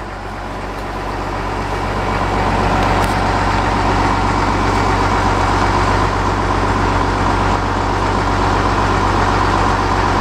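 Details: 2008 Caterpillar 930G wheel loader, turbo diesel, 6,787 hours, 4-speed shuttle shift, freshly serviced with new filters and fluids, heard running and driving: steady, even diesel drone with firm low rumble, no knocks or odd noises; healthy normal running.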